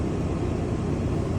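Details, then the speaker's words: RV rooftop air conditioner on a new Micro-Air thermostat, fan set to manual low; steady, even whoosh of air with a low hum, a little quieter, no rattles or squeals, running normally. "And it's a little quieter."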